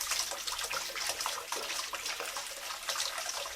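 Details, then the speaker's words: Old Grohe Grohmix thermostatic mixer after cleaning the cartridge, running at 38° and then hotter: steady hissing water flow, no whistle; the whistling is gone. "donc voilà les sifflements ont complètement disparu avec un simple un simpleage de la cartouche"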